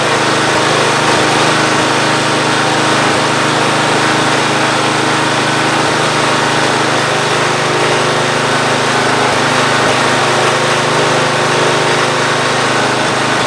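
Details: Free Ariens GT14 garden tractor single-cylinder engine running at smooth even speed, no knocks, misses or surging, after belts, hose and hydraulic fluid were redone; earlier knocking no longer heard, hydraulics work and deck spins. Normal running.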